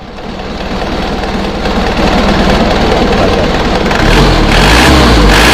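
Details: Isuzu Panther diesel revving after tightening the alternator mounting bolts to cure squeal on throttle: revs climb steadily with a clean rising roar, no squeal or chirp; belts sound fine.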